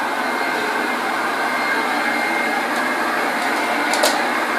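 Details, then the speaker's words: 1969 Hoover Junior 1354 Dirtsearcher upright vacuum, before restoration, on carpet: smooth steady whir with no low-end rumble or wobble, apart from a couple of small ticks; motor running nice and smooth, healthy. "That's it. Hear the noise. I think it's because it's nice and smooth. I'm very pleased with it."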